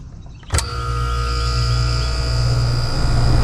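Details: Trane heat pump compressor after relay diagnosis: sharp click, then a steady, even hum with constant tone, a normal healthy start. Clamp on the relay-to-capacitor lead shows a short amp spike, then zero. A sticking relay keeps drawing current, tripping the breaker.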